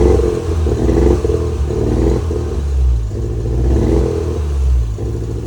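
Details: Toyota MR2 petrol engine still misfiring after new ignition leads: uneven, stumbling beat, lumpy at idle and rough when revving.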